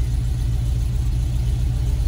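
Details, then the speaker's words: 1987 VW Vanagon Syncro Westfalia, parked since 2001, after engine work and hand-turning with no clanks; first start gives a deep, even rumble with smooth steady beat, peppier and throaty, no knocks, misses or whine: normal idle. "idle's good no horrible [Music] sounds ooh that does it does feel peier it does kind of have a a throat eess to it idle's great"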